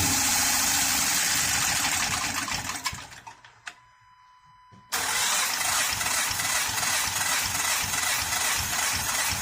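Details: 2013 Honda Pilot J35 V6 after the timing belt slipped: engine runs rough, sags and nearly dies for a couple of seconds, then catches and roars back; misfiring, owner suspects flooded cylinders.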